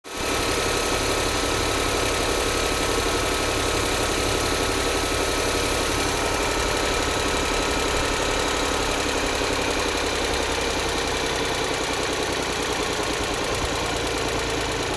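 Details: Lynk & Co 01 PHEV 2022 petrol engine at idle: light, fast, somewhat uneven ticking knock over the steady hum; lifter knocking suspected, not confirmed.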